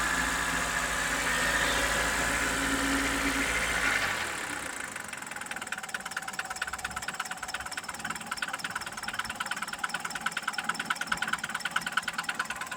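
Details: Mitsubishi Pajero iO 4G94 engine, after revving, back at idle: sharp regular knock about three per second; engine knock, cause not yet found.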